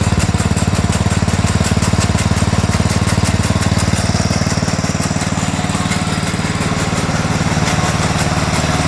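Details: Sears Suburban 12 lawn tractor with a Tecumseh 12hp engine, barn-stored five or six years, first run: rough single-cylinder chug about four beats a second with a rapid slapping clatter from the pulley, caused by a chunked drive belt; a new belt is needed.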